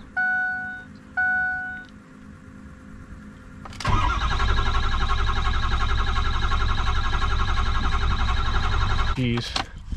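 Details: 6.0 Powerstroke diesel with ICP sensor unplugged: door chime beeps, then about five seconds of steady starter cranking at roughly three turns a second that never catches; crank no-start from suspected stuck-open IPR valve.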